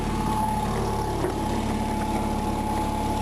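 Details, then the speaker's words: Onan RV generator after the cracked header was welded, a new muffler fitted and the carburetor needle valve cleaned: steady, even drone with constant pitch and no stumbles, sounding much better than before. "so here we go so I got the generator working it sounds a lot better than it did I got to tell you"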